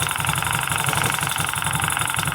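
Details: Small motorcycle idling with a steady, even pulse and no misfire or clatter after replacing a faulty spark plug cap (noise suppressor) that mimicked an internal engine knock.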